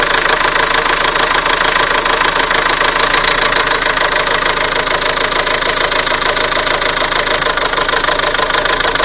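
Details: Renault Scenic 2 1.9 dCi diesel, cold start after sitting overnight: sharp fairly even knocking about three per second over steady idle; owner suspected injector but thinks not; engine knock, cause unknown.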